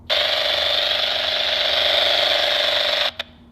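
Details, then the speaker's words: MGL Discovery Lite EFIS radiating interference into the MGL V6 VHF radio, breaking squelch when the display faces the antenna: loud steady buzzy hiss in the radio speaker, then cutoff; later improved by added grounding and shielding. "something is really noisy inside that system and I think whatever it is if from some angles the metal housing is preventing the signal from radiating but out the front of the screen here it appears to be a pretty clear shot and of course that is pointing right on my radio antenna so that's not good"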